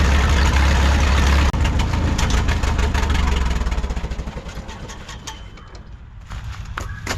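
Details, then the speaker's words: 1951 Farmall M four-cylinder tractor on Champion D21 spark plugs: lumpy idle thumping about three times a second with uneven skips and an intermittent knock or clank; misfire and knock, the knock went away after fitting Autolite 316 plugs. "we're not hearing that noise anymore that uh intermittent knock or Clank or whatever you want to call it that went away when we put the auto light 316 spark plugs in it"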